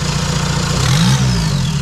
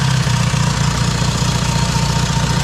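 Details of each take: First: VW Mk1 Caddy pickup TDI diesel just after installing larger injector nozzles, lines not bled: diesel rattle with brief rev swell settling into even low idle, no miss; started fine, healthy. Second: VW Mk1 Caddy pickup TDI diesel after installing larger injector nozzles, fuel lines not bled; even cranking chug about four beats a second lasting long before firing, hard start from air in injector lines, then runs without bleeding.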